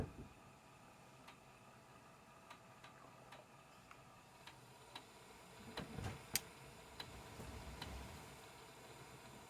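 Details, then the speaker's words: Aiwa XR-MD510K cassette deck after new belts, speaker near phone: light uneven clicks and a couple of knocks over tape hiss during playback, rattling from tape transport; may also run slow. "It does sound like it's rattling a bit."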